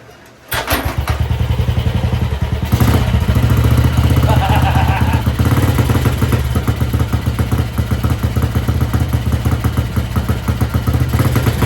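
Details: 1955 Velocette single that sat over 20 years, started on choke through an open air box: it catches after a few coughs and settles into a deep, steady thump with no knocks or misses. Normal running.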